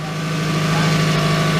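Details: 1997 Toyota Camry four-cylinder run about 30 seconds after an oil and filter change: smooth, even idle with a steady low hum. The clicking heard beforehand is gone; it sounds much better and healthy.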